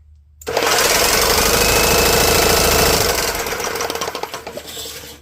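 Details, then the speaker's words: GX200-type 212/208 small engine with 3D-printed side cover, spark plug out, spun fast by a concrete-mixing drill: rapid even clatter of sharp knocks about four per second from a piston whose skirt is broken away; piston slap. "you can hear the knock of that piston because the skirt's gone."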